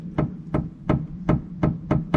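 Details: BMW E39 M5 sedan trunk lid: hollow, loose knocks about three times a second as the lid is tapped; after about 20 years of vibration the glue between inner and outer skins has separated.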